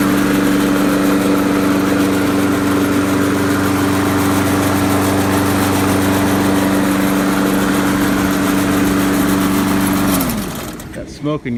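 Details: Trash-picked Poulan Pro mower after its hydrolock repair, oil change and blade sharpening, now starting on the first pull. It settles into a steady, even idle with a constant hum and no misses, then shuts down cleanly.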